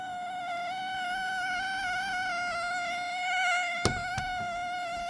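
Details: Dell Premier Wireless ANC Headset WL7024, bought May 2024, emits a steady high whine near 700 Hz with a buzzy edge while charging, also when powered on after charging; faulty unit, cause unknown.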